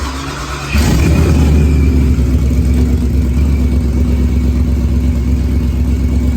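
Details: First fire-up of a freshly built procharged Ford Coyote V8 race car on the external fuel pump, since the in-tank pump isn't coming on. Quiet crank, then it catches hard near one second and settles into a strong, even run with no misses.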